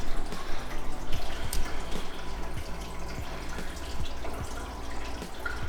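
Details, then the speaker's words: Restored 1990s Jobo CPP2 film processor after its thermal reset switch was pressed, water bath heating from about 20 °C toward 38 °C: steady low pump hum under trickling water, no rattles or surging; circulation pump working normally. "Obviously the pump or something had gone astray and now it's working. You can hear the noise."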